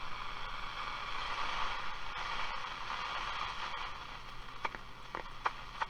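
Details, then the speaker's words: Portadyne S3B valve radio after refurbishment, on shortwave with aerial attached: steady hiss, faint warbling station tone and odd crackle; normal shortwave reception, though shortwave later went completely dead. "i'll tell you why i'm impressed with got the aerial here short wave on this it's pretty darn good actually"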